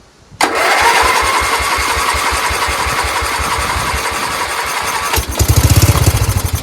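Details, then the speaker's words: Dayton lawn tractor's 11 hp Briggs engine, choke opened and starting fluid sprayed in, cranks in even pulses about four a second, then catches with louder firing beats; it turns over, a good engine. "Oh, it turned over. We have a good engine."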